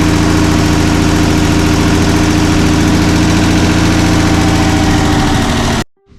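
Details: 1981 Toyota Land Cruiser FJ60 parts truck found in the VA mountains, six-cylinder run on starting fluid: fires unevenly with a lumpy, wavering beat, then cuts out abruptly; rough running, won't hold idle, sketchy gas tank, cause not confirmed.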